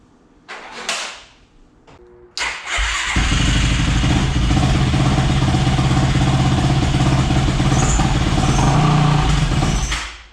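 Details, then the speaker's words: Yamaha YFZ450 first start after rebuild, fuel line cleared with compressed air: brief cranking, then catches into steady, even thumping idle; running well, carburetor needs fine tuning. "well you have it guys she's running good i gotta fine tune it i don't think the carburetor is 100 on this thing"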